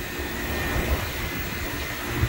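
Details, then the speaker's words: Heat pump on off-grid solar, an ECM fed from the DC bus without AC power: a steady low hum and even whoosh build smoothly as pressures load up, reaching about 13 amps; no knocks, ramping up normally. "it's a good sign it's ramping up give that a second to load up the pressures"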